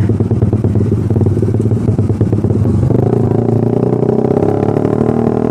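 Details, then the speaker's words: Stock-spec Suzuki Satria Fi150 with a racing exhaust (RS150 header, GP5 K1 silencer about 25 cm), ridden slowly even in second gear: an uneven, popping putter that won't pull cleanly and needs full throttle. Low-rpm stutter and hesitation. "oke gila sahabat nahan banget tuh gua gak mainin kopling bbet banget susah digas harus gua fullin tapi di gigi dua pun masih hancurlah ini masih berbet lah"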